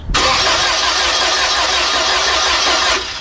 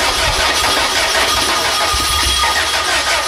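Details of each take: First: VW engine on gasoline vapor feed: about three seconds hard cranking, ragged uneven firing that never catches; unsealed valve leaking on vapor intake. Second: VW engine on gasoline vapor feed after adjusting valves: catches and settles into steady even running with no misses or stumbles.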